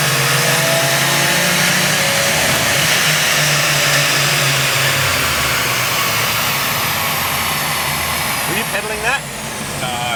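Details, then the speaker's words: Subaru Levorg, built H6 engine, Haltech ECU, full-load dyno run; loud engine repeatedly drops in pitch then recovers every few seconds as boost control cuts boost after overshooting target; heading for about 400 kW. "it's the boost control oh really we're going to make 400 KW anyway so I could have come out of it then but I could see what it was doing and I wanted to get to the boost control the final number at the end"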